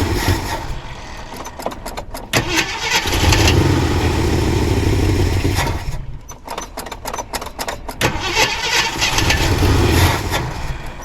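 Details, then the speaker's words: 1979 Jeep Cherokee, AMC 360 V8, sat 3-4 years unstarted; starter cranks about four beats a second, catches, runs briefly, dies and cranks again; starts then stalls. Owner suspects low, bad-looking gas in a plastic jug tank. "What? Alright guys, I can't keep it running."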